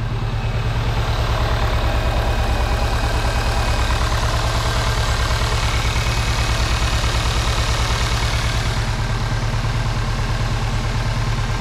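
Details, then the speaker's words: Cupra 2.0 TSI (CJX) engine rebuilt with forged internals, first start, warming up while oil pressure is checked: even, steady low idle after the revs drop, no knocks or ticks. Normal idle. "on entend le régime moteur il est descendu pour l'inant ça tourne"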